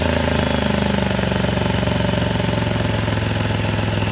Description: V6 impala 2017 exhaust leak sound on cold start.. fixed by replacing cat and cat shield